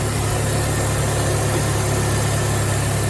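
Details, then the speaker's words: Project Saab 9-3 just got running after adding fuel and various fixes: even, steady idle with a smooth low hum and no knocks, misses or rattles. The engine sounds healthy. "And there'll be another episode on this car and swapping parts over, but it runs, and it runs well. It sounds good."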